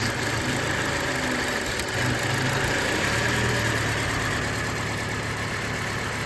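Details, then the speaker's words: 2014 Mazda 6 four-cylinder with P0171 lean code, rough idle and stalling; with the mass air flow sensor unplugged it settles into a steady, even idle with no stumble or hunting, pointing to a faulty MAF sensor; smooth idle. "Okay. When you went like the mass air flow sensor, the engine became uh normal. So the problem is our mass sensor."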